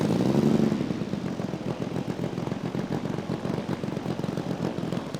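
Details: Saito FG-60R3 3-cylinder radial in a Legend Hobby T-28 Trojan RC plane, first run with cowl on, full-throttle run-up: uneven blubbering firing about four beats a second sags instead of peaking; rich mixture.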